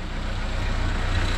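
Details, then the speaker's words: Renault 5 Extra C1J turbo on new MaxxECU Mini EFI, base timing set from a data book with rough timing added higher up the rev range: steady, even low engine drum with no misses or popping; running cleanly. "higher up the Rev range probably de tit off when I go up the road but never mind and nice it runs"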